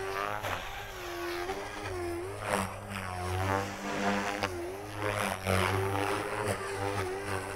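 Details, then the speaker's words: RC helicopter electric motor and ESC with governor gains set very low: rotor pitch dips and lags under each load then climbs back; head speed sags from low governor gain, a tuning issue not lack of power. "you can see the RPM is dropping quite a bit you can hear it lagging down behind"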